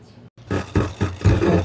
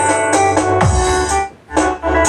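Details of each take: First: Sakura AV-5023 amplifier before repair, phone as signal source, sound cuts out and returns distorted, relay sparking: choppy, harsh, crackly, broken music. Fault later traced to an op-amp in the control section. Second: Sakura AV-5023 amplifier after replacing the 4558 op-amp IC in the control section; it had cut out for 5–10 seconds and returned distorted: music plays loud and clean with clear guitar and bass, no crackle, buzz or distortion.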